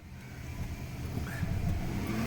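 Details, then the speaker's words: Caravan, never serviced (fluid/filter), bought at 55k, codes P0740 P0944 P1790 P0846 P0848: engine revs with little pull and a thin rising whine under load, barely moving; slipping automatic transmission needing replacement. "barely I just revved it up barely moved"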